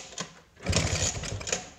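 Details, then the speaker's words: 1979 Vespa P200E two-stroke, 50:1 premix, fresh Tygon fuel lines and new filter, choke open: kicks give short churning bursts with no firing. It died at the gate and won't restart despite spark and fuel; owner suspects the new magneto. "nothing maybe the magneto is dead but I mean the things brand-new there it's got spark and it's got fuel"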